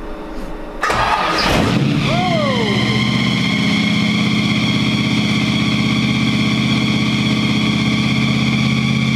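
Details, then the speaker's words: Supercharged Tide Car engine with Weiand blower, fresh 650 AVS2 rear carburetor, idle mixture screws reset one turn out: fires right up then holds a steady fast idle far too high, because the rear carburetor's idle screw is turned in much farther than the front's. "yeah fired right up but that's that idol's way too high so we're gonna have to why is that so high oh yeah yeah the rear carburetor the idle screw on the rear carburetor is in a lot farther than the front carburetor"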